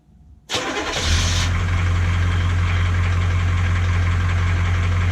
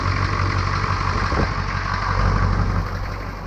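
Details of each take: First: 1982 K20 Suburban diesel 4WD 3/4 ton, on new batteries after sitting 3+ years: it cranks briefly, catches at once and settles into a steady, even diesel idle with no obvious knock or misfire. The previous owner suspected a blown head gasket. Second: 1982 K20 Suburban diesel 4WD 3/4-ton, sat 3+ years; after battery and cooling flush, restarted and idling with an even low steady rumble, no knocking or misfire; previous owner suspected head gasket; normal diesel idle.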